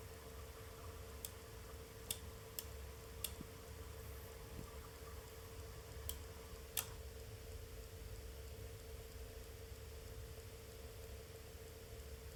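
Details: Arctic P14 Max fan at low RPM (~5%): quiet hum with scattered irregular sharp ticks about once a second, a light rattle, cause unclear.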